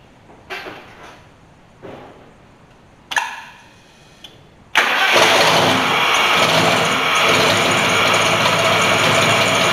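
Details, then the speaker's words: 460 big-block truck with a cheap eBay mini high-torque starter, cold: three short cranking bursts, catches near five seconds and settles to steady idle; normal cold start, hard cranking only when hot. "so as you can see when it's cold it starts just fine i don't have any problems with it"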